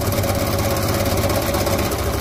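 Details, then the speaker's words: Vintage single-cylinder motorcycle at idle, where carburettor adjustment did not help: a steady, hard bottom-end knock; suspected connecting rod (big-end) knock from running on old oil with poor lubrication, engine must be opened. "c'est ça ressemble vraiment à un bruit de de Biel à mon avis ton ton moteur il a roulé avec de l'huile pourrie pendant un moment et euh mauvais gressage"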